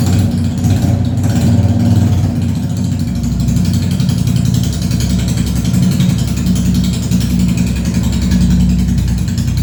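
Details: Honda CB350RS first start after DIY half engine overhaul, muffler not yet fitted, rocker cover bolts left open to check oil flow: loud, deep, steady open-pipe idle with an even beat and no knocks; engine running fine.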